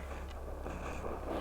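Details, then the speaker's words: Vintage SVEA 123 camp stove, primed and preheated, running: steady, even low rushing roar with no sputter or surging; burner running clean with a blue flame. "And that's what you want to hear. Hear that nice flame. It's a little hard to see here, but it is a blue flame."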